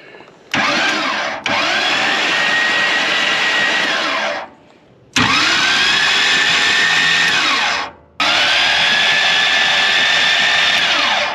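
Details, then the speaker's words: Fire-damaged 1955 Chevy Bel Air, high-torque starter that had got very hot: three whirring starter bursts wind up and down with water coming out of the starter, engine not catching; waterlogged starter left with little torque. "that is water coming out of the starter I have a feeling this won't last long but it is working"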